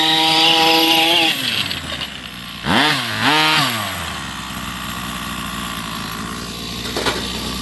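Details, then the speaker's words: Rovan 45cc two-stroke in an XLT, low-speed needle at 2 turns out, running rich and not hot: uneven raspy, off-tone revving instead of a crisp buzz. "I don't like the way it sounds, guys. It just sounds different."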